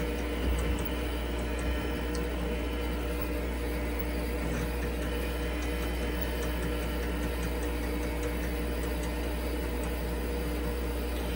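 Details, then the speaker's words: IBM 5150 PC with 5161 expansion unit, roughly 35 to 40 years old, running Advanced Diagnostics after storage: steady low droning hum of the expansion unit with faint clicking ticks from the floppy drive operating; nothing abnormal. "I'm not sure if you're even able to hear the way the floppy Drive is operating over the ambient noise of the expansion unit"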